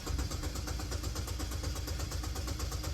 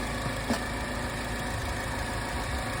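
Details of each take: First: 2012 Chevy Malibu with cylinder 2 misfire code, cranking in clear-flood mode before a relative compression test: steady three-second crank with evenly spaced compression pulses, no cylinder lagging; even cadence. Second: 2012 Chevy Malibu idling after new cylinder 2 spark plug fitted; misfire had been flagged on cylinder 2, and the transmission is also slipping. Fairly steady low idle with one faint stumble; maybe slightly smoother, still a hint of roughness, misfire not clearly gone.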